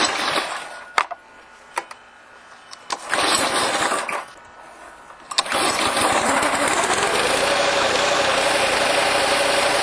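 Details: TruCut reel mower after broken chain replaced and chains rerouted so they no longer rub on each other: a few pulls, then the small engine catches and settles into a steady even buzz with no knocks or rattles; runs fine.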